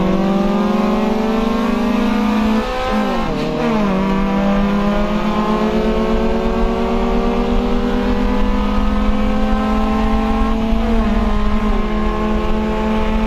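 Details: Honda CRX, Spec-D catback with added Vibrant 2.25in muffler and bottleneck resonator before the axle-back, accelerating: smooth exhaust drone climbs with revs and dips briefly at each gear change, no rattles or leaks; healthy running.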